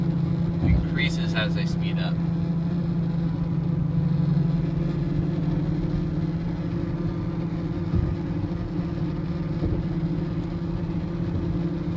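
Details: 2004 Range Rover with 68k miles: a steady low buzz hums over road noise inside the moving vehicle, tied to road speed.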